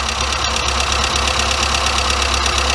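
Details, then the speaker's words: Weber 34/38 DGAS carburetor on a warm engine, after each idle mixture screw was given an extra quarter turn richer on both sides: it settles into an even, steady idle with regular firing pulses and no stumbling. The idle speed is then lowered. "and the same on that side sounds much better already now we just need to lower the idle speed because we're giving it a bit more fuse and there we go"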